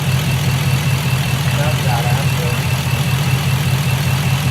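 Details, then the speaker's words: 2006 Chevrolet Impala SS, LS4 5.3L V8, 4T65E-HD, 69,000 miles, codes P0118, P0300, P0307: low, uneven idle with a loping stumble about two or three times a second, a random multi-cylinder misfire; cause not yet confirmed. "vo 300 people that means we have misfires all across the board"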